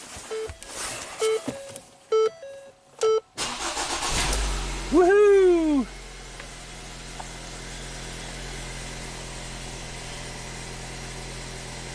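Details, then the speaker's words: 2017 Ford Transit Connect 2.5L four-cylinder, 45k miles, after fixing cold crank no-start with P0116 and fans always on; coolant sensor reads 60°F, ambient 42: chimes, short crank, quick catch and flare, smooth steady idle; no parts needed. "This thing should fire right up and run. No problems."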